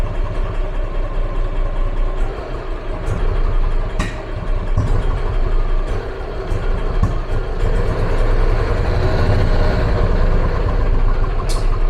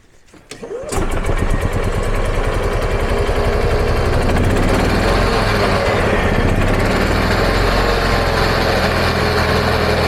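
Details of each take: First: EZGO gas golf cart, 2008 or 2010, long stored and barely running for a year, choke pulled: low, lumpy chuffing with stumbles, engine barely holding on and feeling starved of fuel; carburetor suspected. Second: EZGO gas golf cart single-cylinder engine, a year non-running, after the plug was swapped for a slightly wrong-size plug: quick crank, catches, steady even putter; normal running.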